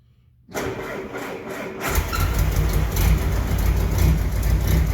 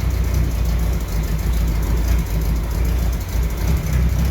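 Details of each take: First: 1968 M151A1 military jeep needing a fuel pump and carburettor rebuild: engine cranks, catches and runs roughly for a few seconds, then dies. No fuel reached the line, so the owner suspects a loss of pump suction; cause not confirmed. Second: 1968 M151A1 military jeep on a lift, idling; it still needs a fuel pump and carburettor rebuild: deep, even low rumble with a steady idle beat and no knocks or misses; running smoothly.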